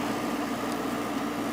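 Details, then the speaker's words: Freshly installed 7500 BTU Fetters window AC (Rotorex compressor, faster-spinning fan) in a very warm upstairs room; compressor started right up, steady quiet low hum with faint fan hiss, no knocks or rattles; normal running. "Sure did. Nice and quiet. This is the 8000 BTU."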